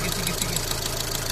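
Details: Fiat Punto Mk2 after a blown head gasket was replaced, coolant still dripping: quick steady light ticking about seven per second over a rough idle; the source is not pinned down and the cause is unconfirmed.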